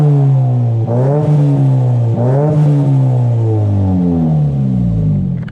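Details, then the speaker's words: Nissan S15 Silvia SR20DET turbo with a new JJR stainless dump pipe and de-cat, light blips recorded from outside; deep, even note with the farty drone gone and tone transformed; normal exhaust tone. "as you guys just heard from that clip i didn't want to rev it too loud i didn't want to annoy anyone but yeah it sounds really really good and the tone is just the tone is just completely transformed"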